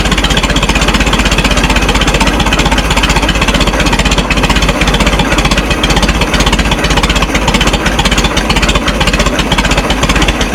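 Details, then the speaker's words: Minneapolis Moline Z tractor after rewiring and adjusting the carburetor idle screw: steady, even low thump about two beats a second, no misses or knocks; normal smooth idle. "I don't want to do it while it's running. I'm afraid I'll get electrocuted. That's better. I like that."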